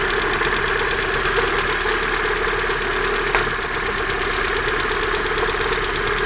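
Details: Sharp, rapid ticking knock in time with the engine over a steady run, from around the exhaust manifold; owner asks what it could be, cause unclear.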